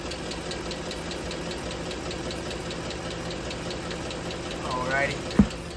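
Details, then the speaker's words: 2009 Ford F-150 5.4L 3V V8 at idle, microphone in the fender well, before pulling the valve cover: a sharp, regular ticking about six per second from the passenger side; a loose rocker arm is suspected but not confirmed. "it's making a ticking noise you notice it started to come from the passenger side and we're going to pull the valve cover today and see what there is to see under there"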